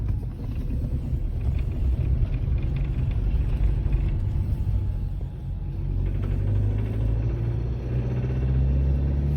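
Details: Diesel engine with four freshly overhauled injectors, three of four return lines leaking despite new OEM seals and one injector with about 1 mm play: deep rumble swelling under throttle with irregular loud roughness; abnormal acceleration noise, cause unconfirmed.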